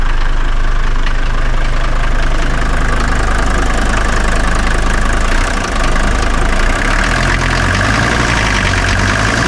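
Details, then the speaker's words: 1981 Mercedes 300GD diesel with glow plugs, revived after 6 years parked, starts first try and idles evenly with light, regular clatter and a smooth rumble, no misses or knocks. Declared a jewel that sounds perfect: healthy engine. "Mirad qué joya, ¿eh? ¿Va bien o no va bien? Es que suena a glorias, mira. Pero perfecto."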